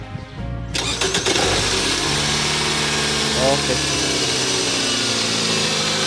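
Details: Toyota RAV4 with no-crank no-start fault, after new starter fitted and wiring checked: quick cranking catches within a second and settles into a steady even idle; starter engages cleanly, normal start.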